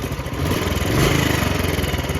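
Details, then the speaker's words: Royal Enfield Bullet 350 idling after adding Abro Premium Oil Treatment additive, not yet fully warmed: fast even thump; faint kit-kit tick from one side buried in exhaust beat, owner suspects main bearing noise when oil hot, unconfirmed. "लेकिन यहां पे से ना एक आवाज आती है और मुझे लगता है कि या तो वो इधर की आवाज है हल्की हल्की किट किट किट किट और या फिर वो इस वाली साइड की आवाज है"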